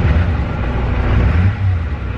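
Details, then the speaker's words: LB7 Duramax diesel truck, unrun for six years; deep, loud rumble with an uneven, lumpy beat instead of a smooth idle, slightly smoky, a cylinder misfiring and not running right. "just not running right so bad try pick them see if we can get it straightened out these lb sevens are picky"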